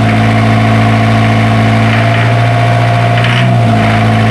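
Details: Isuzu diesel generator engine that had a hard-starting problem, now running: loud, even idle with a constant low drone and no misses, knocks or speed hunting; healthy normal idle.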